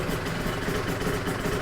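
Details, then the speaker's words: Yamaha TZR 250 3XV 1990s two-stroke twin, first start after wreck-to-runner rebuild (powervalve and oil pump adjusted, carb slides synced), in neutral: fast even burble with steady beat, no misses or knocks, smooth idle; normal idle. "Success. And a smooth idle. My God, couldn't wish for any more, could you?"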